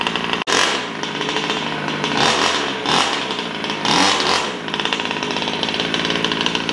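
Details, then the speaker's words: Brand-new Taylor RC 35cc two-stroke in a DBXL 2.0 with a Bartolone Racing exhaust and air filter, on first start during early heat cycles before any full throttle: crisp buzz swelling smoothly with throttle blips, no stumbling or sputter; sounds great, running cleanly. "but she sounds great she sounds nice"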